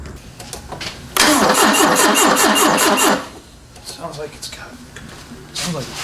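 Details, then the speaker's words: 1974 Ford Capri 2.0 Pinto, sat 15+ years, mud wasp nests in timing cover, retimed: about two seconds of fast even cranking without firing; suspected the timing jumped almost immediately, valves likely not stuck. "so maybe the valves aren't stuck i think i think the it it jumped time almost immediately"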